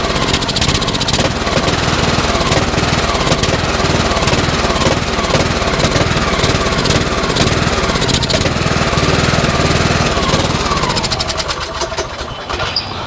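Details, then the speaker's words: Yellow Cub Cadet lawn tractor that had sat for a while, cold start despite gassy oil: a small single-cylinder engine catches and settles into a steady, slightly uneven chuffing run, then winds down; running fine after sitting. "Huh. Motor sounds good. I was nervous because of how gassy that oil was, but it sounds really good."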